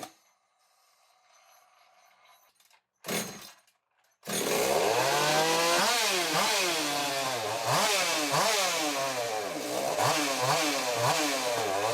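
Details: Modified Echo CS-600-based hybrid chainsaw with 93cc top end in 60cc chassis: revs surge unevenly two or three times a second, never steady; owner suspects an air leak, possibly thin rotted crankcase, pending pressure/vacuum test.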